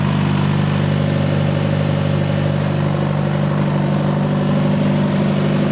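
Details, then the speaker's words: Farmall 140 marked '74' compared with the '62', both running: even, steady low drone at full throttle with no miss. The governor holds the 74 at a much lower full-throttle rpm, about half the other's throttle. "while I've got them both running I'll let you hear that they're both govern different this 74 has a much lower Full Throttle RPM that's Full Throttle for that"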